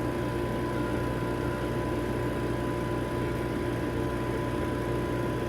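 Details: Vacuum Atmospheres Nexus glove box: with the pressure band set to ±1.5, positive pressure is added until it reaches the 1.5 limit and the vacuum pump turns on. It gives a steady, even hum with a low drone and faint whirr, no knocks or surging: normal vacuum pump operation.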